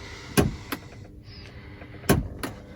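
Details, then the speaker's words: 2004 Lincoln Navigator rear HVAC, heard in the cabin while switching the rear control from hot to cold: sharp double knocks repeating about every 1.7 s, vibrating through the car and seeming to come from the roof; the rear blend and vent door actuators are suspected. "We can hear it flickering. So I don't know if you can hear that. So when I turn it from hot to cold, it vibrates through the whole car. Almost sounds like it's up in the roof."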